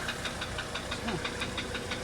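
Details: 1985 Mercedes 300D diesel idling on diesel purge: a sharp, regular ticking knock about four per second over a steady idle. Cause not yet found.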